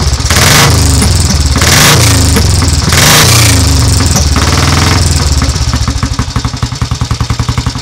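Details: Royal Enfield 350 cafe racer, carburettor needle raised, no choke, started by tickling the carburettor: strong throttle blips, then the single settles into an even thump-thump idle with no misses, a healthy cold start.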